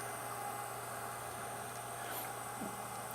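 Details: Yongnuo YN600 LED light with its original stock 5 V 40 mm cooling fan: steady airy whir with a faint fixed hum underneath, unchanging; loud fan noise, seemingly amplified by the housing.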